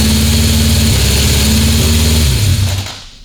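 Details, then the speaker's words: 1976 Honda CB750F1 SOHC four with electronic ignition, during carburettor balancing: fast, even idle stays high, then winds down at shutoff. Carbs balance but idle can't be set low off the idle screw; needle position suspected. "See, I can get it balanced, but you can't get the idle low. It's off the idle screw, which is no good."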